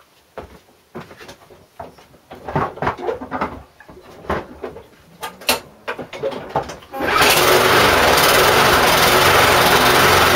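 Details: McCulloch Briggs & Stratton lawn mower, bought as a non-runner, after servicing including cleaned, oiled air filter: a few pull-start attempts, then it catches and settles into a steady, even run with no misses or knocks, healthy.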